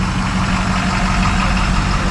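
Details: Diesel idling at the auction yard: deep, steady rumble with an even low beat, no knocks or misses; a healthy idle.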